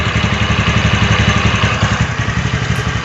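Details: TVS NTorq BS6 Race Edition scooter at idle after pressing the loose kick-start lever: even, steady putter with no rattle; kick lever loose, temporary fix, needs tightening at service.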